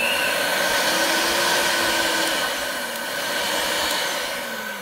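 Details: Dessini DS-903 blender that would not start, after replacing its switch with one from a Kenwood (250 V 10 A): smooth, even high-pitched whir holding steady with slight speed drift; motor running cleanly.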